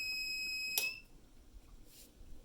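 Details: 1500 W inverter fed by four Panasonic 36 V ES200G scooter battery packs running a 5000 BTU window AC: shrill steady beep that suddenly cuts out, the low-voltage alarm tripping as the compressor loads the batteries.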